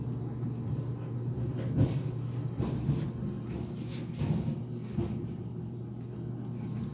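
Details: GE Profile Harmony dryer restarted for another minute after its door popped open near the end of an 11-minute sneakers cycle: low steady drum hum broken by irregular heavy thumps every second or so; something banging inside, cause unclear.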